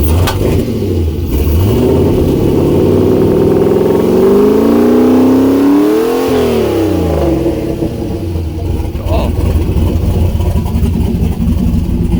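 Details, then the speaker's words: Turbo LS-swapped Miata first start with new downpipes, turbo coupler not yet connected and no O2 sensor bung: loud, raspy, harsh blat rising and falling on throttle blips from open downpipe, some smoke. "oh that sounded pretty good it's still loud it's smoking yeah"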